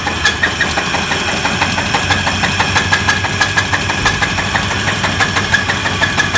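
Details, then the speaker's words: 1994 Chevy S10 bought with suspected engine problem: sharp metallic knock about three times a second over fast uneven idle, top of engine; rod knock (idler pulley also considered). "now there's two things this could be when you hear it it could be a rod knock or it could be an idler pulley the way it sounds let me start it"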